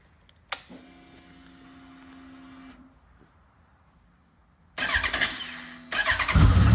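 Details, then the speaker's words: 2013 Honda CB1100 just fitted with Wyvern 4-into-4 exhaust pipes: starter catches cleanly, settles into even idle, then crisp loud revs climbing and falling smoothly, much louder than before; normal start-up and revving. "It's a lot louder than it was before."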